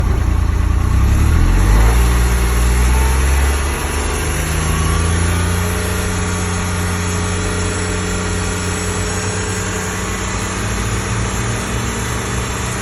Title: 2025 XD1500 NSU whining noise